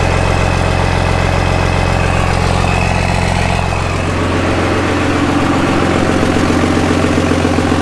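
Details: Cummins diesel swapped into a Jeep YJ, first start-up with jury-rigged AirDog fuel pump: steady diesel clatter at an even idle, about four beats a second, no stumbling or knocks; normal idle.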